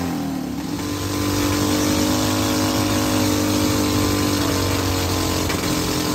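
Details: Hydrogen-fuelled engine with water injection swapped for other fuels, at full rpm with hydrogen turned all the way down: steady high speed with rough, uneven beat; possible engine knock.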